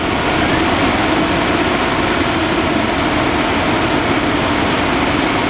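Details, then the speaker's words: 1998 Chevy/GMC 1500 at idle after replacing the original 21-year-old cooling fan clutch, which had failed on and was loud: steady, even idle with a soft fan rush and no roaring or howling; much better than before. "Let's see if it sounds like a screaming airplane. Oh, nice. Doesn't sound like it wants to take off. It should run a little bit."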